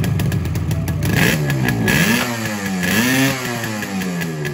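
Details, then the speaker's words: Yamaha RD 350 two-stroke, cold, kick-started for the first time after rebuild on adulterated, pesticide-smelling petrol: revs surge and sag with a ragged crackle and smoke. Runs rough and needs tuning; cause suspected, not confirmed. "Vehicle has to be tuned. I expected this much only in the first start Petrol is adulterated."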